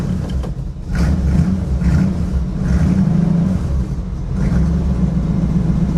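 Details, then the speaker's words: 1963 Chevy Nova 4-door V8 with newly fitted quick-built mufflers and balance tube: deep, even rumble with quick throttle blips and no rasp or popping. Much quieter now, a normal, properly muffled exhaust note. "That's much quieter. From inside the car, this thing sounds Pretty tough, actually. I'm impressed for a very, very, very quick exhaust system."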